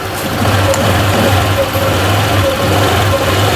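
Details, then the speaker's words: Honda Click 125 v3 scooter, 18,000 km, with overheating and coolant blowout complaint, just started cold, battery 12.3 V and weak, idle low: steady, even idle with no knocks, ticks or misses; engine sounds healthy. "Hindi naman, tahimik naman yung makina eh."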